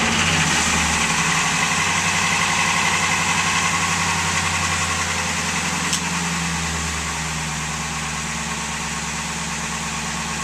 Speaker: What you just heard was a horribly worn timing set on my 2002 F-150 with a 5.4 engine. It has 217,000 miles on it, and when you start it up in cold weather, I'm just noticing it's now in the recent cold weather for this winter that it's making a lot of noise.